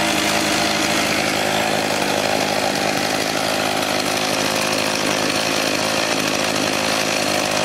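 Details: Echo HC-1600 two-stroke hedge trimmer, revived after sitting a long time, after opening an adjustment half a turn: steady, even high-pitched buzz with no surging or stumbling. Engine running cleanly.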